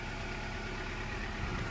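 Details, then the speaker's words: Honda Prelude previously misfiring with flashing check engine light: now even, steady idle with steady exhaust sound, no stumble or missed beats, check engine light no longer coming on. "i had to move the lewd and it sounds a lot better the exhaust is making like a steady sound now it doesn't sound as bad as before the engine sounds okay"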